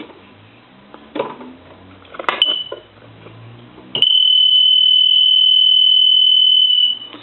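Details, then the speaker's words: Stone piano telephone, final checkout after repair, loud setting: a few handling sounds then a loud steady high-pitched buzz for about three seconds; ringer working normally. "see how loud that is it's almost so loud you can't hardly take it"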